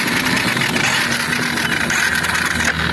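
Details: 2022 Honda Fan 125 motorcycle, 24,000 km, reportedly slowed and stopped: idling with fast dry ticking clatter from the top end; mechanic concludes loose timing chain from a failed tensioner (factory defect part).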